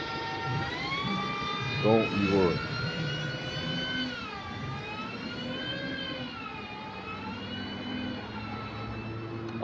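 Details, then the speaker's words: London bus with Voith DIWA automatic gearbox, quiet when new; loud layered gear whine over the engine, pitch rising and dipping with road speed, from worn gear teeth in the gearbox, louder with age. "because them bosses, they weren't sounding like that when they were brand new either. They were bare quiet and that. Yeah, now they're getting bare louder"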